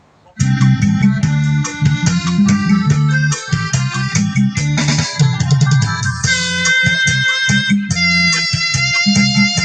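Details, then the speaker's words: Music DJ MM20B speaker after repair of a rumbling hum traced to an open filter capacitor in the power supply, which was replaced: clean music plays with no hum or buzz even in quiet gaps; working normally, loud and clear. "ใช้งานได้นะครับเพื่อนๆดังดีนะครับ"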